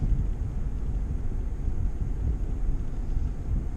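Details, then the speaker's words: 2011 Ford F250 driving after tie rod replacement: steady low road rumble, and the front-end clunk over bumps that began a month earlier is gone, now quiet. "you could hear every time i hit a bump and uh started about a month ago kind of got used to it now it's gone nice and quiet now"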